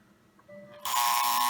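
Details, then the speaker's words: Lionel 682 Turbine locomotive, overhauled, after repairing a short where the main pickup roller wire touched the frame. A faint tone gives way to a loud steady buzz as the E-unit (reversing unit) cycles direction normally. "so let me put it in so the e unit works which you will hear more the buzzing of the unity unit when it's working now"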